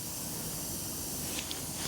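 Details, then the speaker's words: Front tyre with a thorn puncture, slightly reinflated before rope-plug repair: continuous sharp hiss of air with no rhythm leaking through the small hole; the thorn puncture is the problem. "you can hear that. That is definitely the problem. There it is. It always amazes me that a little thorn like that is enough to puncture a tire, but it is"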